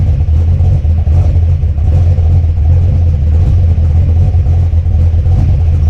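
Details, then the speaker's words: Mopar Ramcharger V8 just after ignition upgrade, distributor reinstalled, brake booster disconnected and plugged, carburetor unadjusted: deep loping rough idle with slight flutter; owner thinks it needs more timing, not yet pinned down. "Okay, that sounded like I needed some more timing in there. I have not adjusted anything on the carburetor right now."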